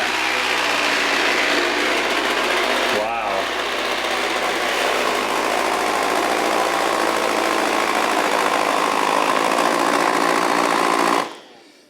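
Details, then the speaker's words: iRobot Roomba 692 robot vacuum after running over a charging cable: steady motor roar with uneven rubbing and strained roller note; debris knotted in the brush rolls slowing and jamming them. "something's stuck inside there probably would not uh air this out however if something's in there making the rollers slow down or jam up like that when it keeps going it's not going to be able to clean at all"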